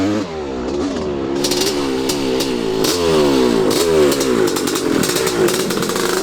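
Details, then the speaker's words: 1985 Honda CR500 two-stroke, bought non-running at a swap meet, first run on about half a gallon of fuel: uneven, stumbling idle with revs wandering and a ragged pop, not running right; cause not yet known. "thank you done one idle sounds like it's not running right ah it's even if it's not running right"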